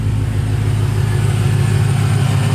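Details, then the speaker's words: 2017 BMW M6 F13 idling after GT Haus Meisterschaft GTC exhaust install, factory cats retained; deep steady even rumble, no puffing or ticking; no exhaust leaks, running normally. "no exhaust leaks all looks good"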